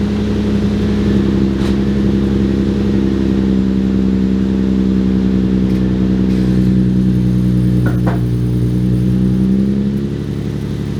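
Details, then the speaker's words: Infiniti G35 with a G37 front conversion: engine idles and revs with a loud raspy, blatty drone and uneven puffing from a broken exhaust (leak), not yet fixed. "so the exhaust is broken i don't know if you guys can hear it um i'm definitely sure you can hear it"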